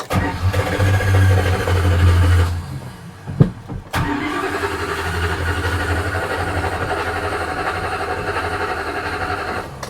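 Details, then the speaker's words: 1976 Dodge Club Cab Adventurer with a tired 318 V8, carburetor running rich, exhaust leak: after work to build oil pressure it restarts several times and idles with a deep, rhythmic clunk from the bottom end, rod knock. "Yep, that's rod knock."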